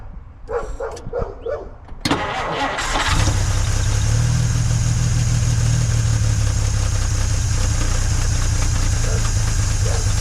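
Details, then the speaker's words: 1950 Dodge Meadowbrook six just switched to a 6-volt battery: the starter turns slowly with a few lazy compression beats per second, then the engine fires into a steady idle. The ammeter reads better afterward and there is a strong fuel smell. Slow cranking on 6 volts. "Okay, you can hear that it uh didn't spin over nearly as fast."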